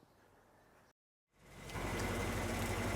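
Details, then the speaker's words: Land Rover Discovery 1 V8 being recommissioned, after fixing a 1500 rpm high idle, possibly linked to the removed idle bypass valve: loud but even, unhurried idle with no hunting; running smoothly. "it's purring like a kitten lazy kitten but and quite loud for a cat it's running smooth that's what I'm saying"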